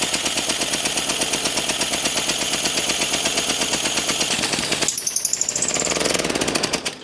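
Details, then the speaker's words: Antique David Bradley walk-behind tractor single-cylinder engine, previously stuck, head gasket reused, carburettor not working properly, just started. Popping run with a shrill screech; first thought a bearing, then suspected a leaking head gasket. Cause uncertain. "fire cool it's running didn't like that screeching sound though that sounded like a bearing was very unhappy"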